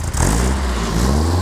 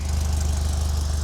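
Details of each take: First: Rebuilt Alfa Romeo 2.0L twin cam, 11:1 compression, larger cams and valves, muffler fitted, warming up: repeated clean blips rise crisply and drop back evenly, no knocks or misses; healthy engine. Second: Rebuilt Alfa Romeo 2.0L twin cam, 11:1 compression, larger cams and valves, warming up: steady, smooth low idle but slower than it should be while cold; cold idle circuit needs raising.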